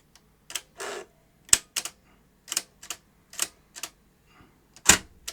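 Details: Newly acquired CVC-format video deck, needing new belts, powered up through an isolation transformer with a tape inserted: sharp irregular dry clicks and short whirring bursts, no steady drive hum. The deck partly lights up but the monitor seems completely dead.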